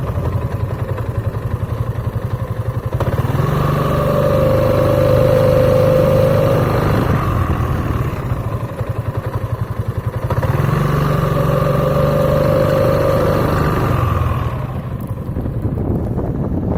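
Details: Piaggio Beverly 500 scooter idling then pulling away: steady droning hum at start/low speed from the variator, caused by glazed clutch shoes plus an out-of-round clutch bell; fix is sanding the shoes and having the bell machined true.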